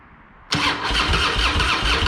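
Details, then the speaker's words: Harley-Davidson Fat Boy, sat a couple of years, fresh high-octane fuel, Mobil 1 20W-50, tended battery: loud rhythmic starter churning but the V-twin never fires; no fuel reaching it because the fuel valve was left off. "hmm interesting it's helpful if I turn the fuel on first idiot"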